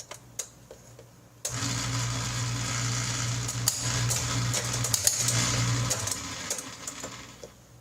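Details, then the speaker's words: Dishwasher after freeing a stuck motor and impeller that previously only hummed: after light clicks the pump motor starts and runs with steady, even hum, repaired. "And that, my friends, is a sound of success."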